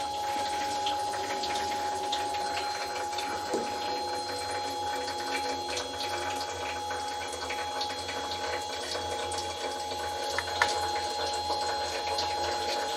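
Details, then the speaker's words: Newly built belt-style oil skimmer removing tramp oil from a milling machine sump, first run: a constant whirring hum with one steady mid-pitched tone and light watery splashing, picking up mostly oil. Normal running. "certainly looks like it's mostly oil that it's picking up."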